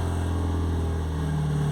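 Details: Ford Anglia with Mazda MX-5 engine idling low, lumpy and heavily uneven; cylinders 1 and 4, which share a wasted-spark coil, are dead, and tests show no injector signal on them while 2 and 3 fire.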